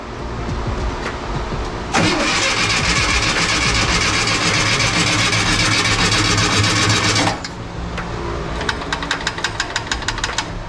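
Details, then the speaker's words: 1967 VW Bus with 1500cc engine, hot Texas summer, fuel primed into carbs: starter churns steadily about five seconds without catching, then quits; crank no start, later fixed by replacing coil and distributor and rotating the distributor. "so we ended up having to change the distributor we had to change the coil uh we had to rotate the distributor a super weird way i don't know what's going on"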